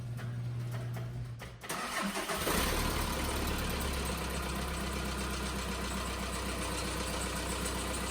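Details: Volkswagen diesel after the injection pump quantity adjuster seals were replaced: a short crank, then the engine catches and settles into a steady, even diesel idle with regular clatter.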